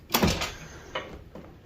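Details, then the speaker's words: 1999 Chevrolet Suburban GMT400 door after new door hinge bushings and door pin roller; one firm clean thump on closing, no pop or sliding on the striker pin, latch engaging normally; normal door closing. "Yeah, it's not sliding. Can't hear it sliding on that striker pin anymore. It just shuts. You can hear it hitting the back of this latch."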